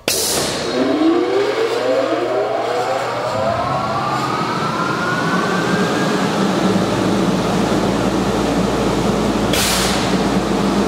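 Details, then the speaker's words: Zephyr Engineering LaserVac 1,500 CFM pulse-jet dust collector for laser or plasma CNC, 3 hp motor, at switch-on: a sharp air pulse, then a steady even motor and fan roar with a second pulse; pulses twice in the first 10 seconds and runs quietly. "as you can hear it's a really nice quiet running machine no issues"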